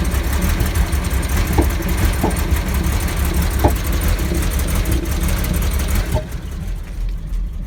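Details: 2002 Porsche Boxster 986 that sat for maybe less than a year, in the first minute after a cold start: uneven idle with scattered sharp knocks about once a second, white smoke and a bad smell, normal after about 2 minutes; cause unclear.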